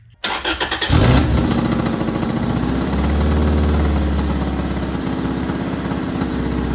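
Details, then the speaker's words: Supercharged Toyota MR2 Spyder with a new custom exhaust: after cranking, the engine catches into a rough, puffing putter that rises with revs; big leak at the header, fitted without a gasket, plus some leakage at the V-band. "All right, guys, as you could probably tell by that sound clip, a lot of exhaust leaks. I don't have a gasket for the header yet."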